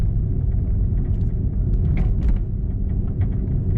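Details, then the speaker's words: 2004 Nissan Sentra driven over bumps gives irregular metallic clunks and rattles, like metal-to-metal contact, from shot front lower control arm bushings; both front lower control arms with bushings and ball joints to be replaced. "her day when we had the wheels off we checked underneath and we saw that the bushes were shot there's a little control arm so we're going to be replacing that and hopefully that takes care of the issue let me see if I can show you guys right now what what it sounds like you hear it kind of like a clunking rattle noise"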